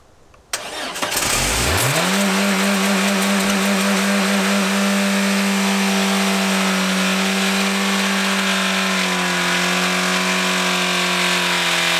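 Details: Engine run with oil drained, sump off and a crank bearing assembled dry: fires into a harsh metallic clatter and grind over idle; bearing wear expected, yet teardown afterwards showed the crank looking surprisingly good.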